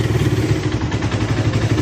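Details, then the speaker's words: Raider 150 after shop refresh, warming up: steady, even low idle with soft regular beat, no clatter or knocking, quieter than before the work; healthy idle. "So ayun, ito, pinabandaran natin, pinapainitan natin yung makina. Yan. Tapos tahimik na to ngayon. Kaysa kanina."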